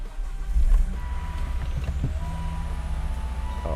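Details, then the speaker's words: 2005 Volvo V70R at startup with the right rear and passenger doors open; clear dash chimes over a low idle rumble, the open door warning. "Now, we are greeted with my right rear door being open, which it is for light. Passenger door open, again for light."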